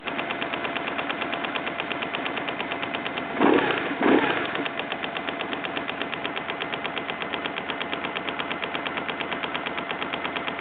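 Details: BMW R1100GS boxer at idle: quick, even ticking that runs steadily above the mechanical clatter; owner suspects the throttle body, source unconfirmed.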